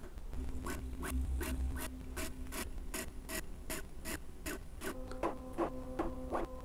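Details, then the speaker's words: Bambu Lab A1 3D printer on its first power-on doing full-auto calibration: repeated short buzzing strokes about every half second with tonal hums between. Active motor noise cancelling makes the motors grow quieter, leaving mostly bearing sound on the rails; normal. "I can hear that the motors are going quiet and quieter as it keeps doing that so they were much louder and now they're much quieter so it's literally canceling the motor sound mostly all you hear is like the bearings moving on the rail"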